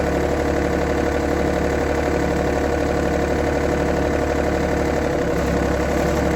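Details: 1990s John Deere F1142 diesel mower, cold January, started via jumper wire, fuel shutoff solenoid not working: small three-cylinder diesel ticking over at a steady even clatter, about four beats a second, no misses. Runs fine once started.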